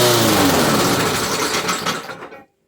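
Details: Briggs & Stratton 475 push mower, primed three times, pull-started again: catches on primer fuel, runs briefly and dies within about two seconds, fuel starvation; repaired by replacing broken intake tube and carburettor diaphragm.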